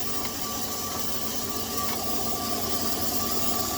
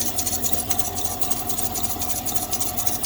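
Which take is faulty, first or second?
second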